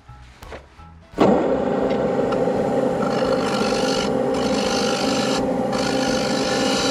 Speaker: well that has reduced it a bit but you could probably hear the vibration against the tool caused another few ripples